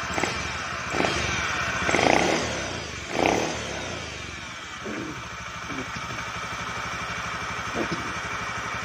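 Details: Honda Beat ESP scooter that previously would not start, flashing blink code 52 for a crankshaft position (CKP) sensor fault from damaged wiring or the sensor, now after servicing. The starter whirrs, it catches after a couple of bursts and settles into a steady, even idle.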